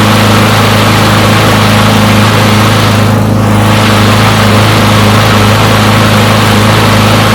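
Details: Push mower from a neighbor who said it wouldn't start; run to warm up after long disuse. Steady, even engine hum at constant speed with no misses or surging; runs pretty good; normal running.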